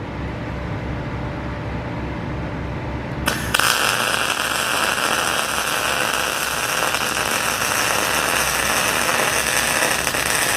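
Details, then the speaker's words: PrimeWeld MIG160Ts in MIG mode, set around 20 and 350 inches per minute: after a sharp strike the arc crackles with an uneven, spitting sputter instead of a smooth sizzle; voltage and wire speed too low, better when turned up to maximum. "Okay, I don't like that sputter, so we're going to crank it up some more."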